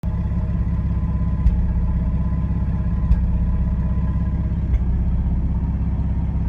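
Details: 1995 Ford F150 4.9L EFI at warm idle: steady idle broken by an occasional stumble roughly every one and a half seconds, a random misfire under diagnosis.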